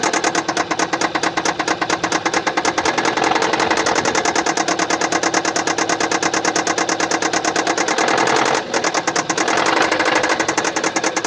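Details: 2015 Kia Sportage SL, 2.0 petrol G4KD (1998 cm³, 122 kW/166 PS), 118,709 km, at steady idle with a sharp, fast, even tick about two a second from a defective fuel injector.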